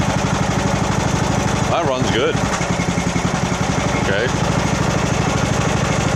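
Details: 2014 Poulan riding mower, 14.5 hp single-cylinder, running after start-up with choke during tune-up, idle speed adjusted, fuel filter filling once float dropped; steady, even thumping beat with no misses or surging; runs cleanly.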